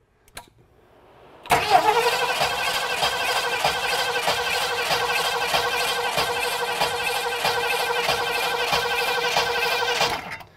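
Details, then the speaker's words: 1967 Mustang V8, checked cold, cranked for about 10 seconds with the coil wire off so it cannot fire: the cranking beat pulses unevenly, with the RPM loping. "all right now i'm going to have jeff crank it over for about 10 seconds again you're going to hear the rpm lope every"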